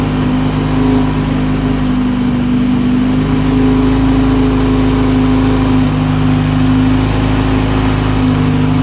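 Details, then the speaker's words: Honda hatch project (EG) first start with engine from a flipped Integra, feared knock or spun bearing: steady even hum with no knocking or ticking; runs healthy, though coolant and oil leaks found. "so but I know now it runs good it runs healthy"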